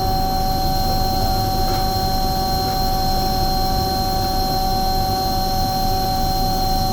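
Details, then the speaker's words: Omni/EconoHeat/Morrheat waste oil heater burner after cleaning and nozzle service, unit about 20 years in use; steady even roar with constant hum, no flutter or pulsing, burner heating and catching fire, working well; normal running. "now the bur is going good it's heating it and it's catching fire I know this isn't 100% um ideal for now it works really well until I come back next time like it does actually works"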